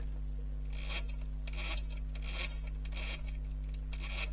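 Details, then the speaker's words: Vintage Kyosho Turbo Burns nitro RC chassis after rebuild, rear wheels turned by hand: gritty rasping bursts about once a second over a steady hum; differential noisy, not binding, owner suspects wrong diff preload or misplaced crown-wheel/pinion shims. "I think I might have preloaded the diff wrong. So when I'll turn the back wheels, you hear that?"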